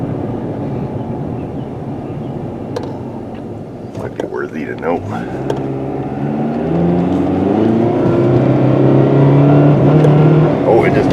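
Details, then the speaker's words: 2012 Jeep Patriot, 141k miles, on a road test accelerating through the gears: a low steady drone building with road speed; every wheel bearing sounds bad. "kind of weird about the wheel bearings huh it's pretty noisy all right let's see we'll head this way here go out where we give her some beans wow this thing does not sound like it has a single wheel bearing that is any good"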